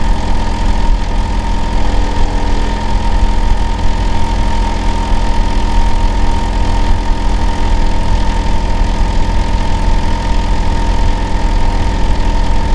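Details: Neighbour's Hitachi air conditioner outdoor unit in winter, running year-round and especially loud in summer and winter, disturbing sleep: a loud, constant low drone with a steady mid-pitched whine, unchanged throughout, unusually noisy.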